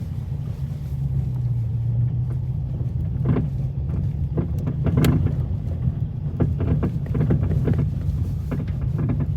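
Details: Dodge Challenger Hemi driving with sharp irregular clunks over a low rumble from loose sway bar link nuts; tightening them cured it.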